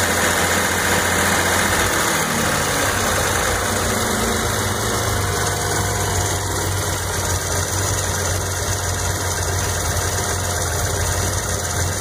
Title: Z noise (bad alternator)